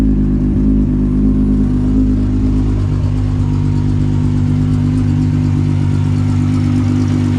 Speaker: She's a little bit loud, but race car, so it's fine. As you can hear, Miley's still running good as usual.